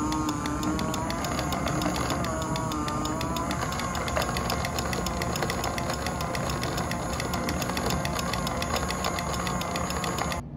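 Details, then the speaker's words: 3D-printed PLA gearbox driven by a 5 V DC internally geared motor, limit switch clicking every quarter output rotation: constant motor and gear whine with quick regular light ticking, staying even; gearbox runs healthy. "you'll hear a few noises one is more constant and it's the noise of the gearbox from the input motor and then you'll also hear the intermittent click of the limit switch when it is triggered every one quarter of a rotation"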